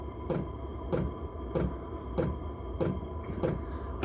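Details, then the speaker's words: Chinese 5 kW diesel heater in a GMC Savana cargo van on low setting, 38°F outside: steady fuel pump ticking about every 0.6 seconds over a low fan hum; loud pulses normal on low, blending to constant on high. "I think that's going to be annoying, and the reason it's so loud is because it's on low. If it's on high, the fan is blowing so fast and the pump is moving so fast that you don't even hear the pump, because it's, instead of a pulse, it's more of a constant."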